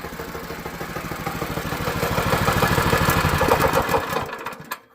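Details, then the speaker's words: Predator 212 single-cylinder go-kart engine with a new plug and a new pull-starter cover, chain refitted: pull-started easily, then an even, quick, steady thump at idle until shut off; runs normal and healthy. "See how easy that just cranked? Kid will be able to crank this no problem."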